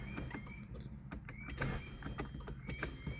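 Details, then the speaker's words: 2011 Hyundai Sonata with a failing starter, start button pushed rapidly and repeatedly until it grabs: short bursts of high whirring spin with no cranking rhythm, the starter pinion not engaging the ring gear. "so what I do is let the car let the starter disengage and then push the starter again and keep doing that and at some point in time it'll eventually grab"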